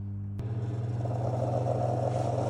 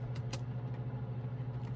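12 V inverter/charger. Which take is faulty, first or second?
first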